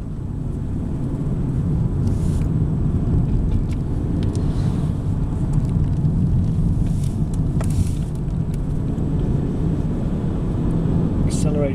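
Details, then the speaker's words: Vauxhall Astra Club hatchback, factory dual-fuel LPG, road test pulling away in second gear: even engine drone rising under road rumble, accelerates smoothly with no clunks or groans; drivetrain healthy. "nice and smoothly. No clunks or groans."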